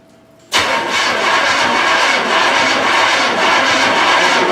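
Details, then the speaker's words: 1981 Recaro Trans Am (Turbo Pace Car) sitting for years with 6-year-old gas and a new battery: starter cranks steadily but the engine never fires because no fuel has reached the carburetor yet. "Don't pump it yet. Yeah, don't pump it She's yet. not even up there. There's no fuel up there yet."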